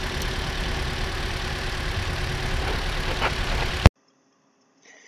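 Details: About 2013 Toyota RAV4 at idle: low heavy idle with uneven, lumpy beat, a cylinder dropping out; misfire tested by swapping injectors between cylinders 2 and 3 to check for a faulty injector.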